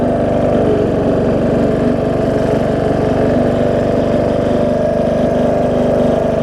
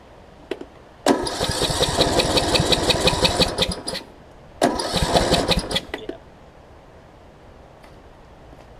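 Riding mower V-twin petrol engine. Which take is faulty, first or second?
second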